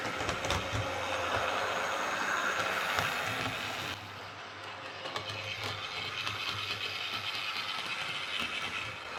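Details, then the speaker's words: Hornby R041 GWR Class 57xx Pannier model loco after replacing worn rear motor bearing behind magnet and re-magnetizing: smooth, even motor hum with steady rail clatter, no harsh whine; running much quieter than before. "so it's definitely running an awful lot quieter with that new rear bearing"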